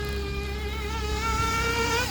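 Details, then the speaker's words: Gimar P5 (Novarossi P5XLT) nitro engine in a Hyper 7 buggy, broken in, on its initial tune: high-pitched buzz winds out smoothly through the revs with plenty of smoke and no stumble; running rich and safe, no lean bog. "nothing at all resembling a lean bald whatsoever"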